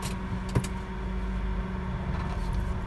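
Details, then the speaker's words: 2014 Honda Brio E Satya manual driven slowly over paving, including extreme turns: low soft tyre rumble with no clunks or rattles, suspension normal. "tidak ada suara aneh aneh ini jalannya paving Jadi kalian bisa dengerin suara kaki-kakinya belok ekstrim pun juga tidak ada masalah"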